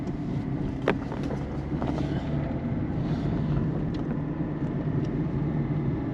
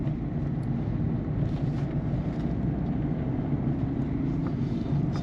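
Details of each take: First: 2008 Peugeot 207 1.4 turbo diesel, 5-speed manual, driving over holes and bumps: steady cabin drone with sharp, isolated front suspension clunks; the ball joint and rubber bushings are still to be checked. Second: 2008 Peugeot 207 1.4 turbo diesel 5-speed manual, test drive after replacing sway bar links and setting tire pressures to fix clunk over bumps: steady road rumble, no sharp knocks; front suspension sounds normal.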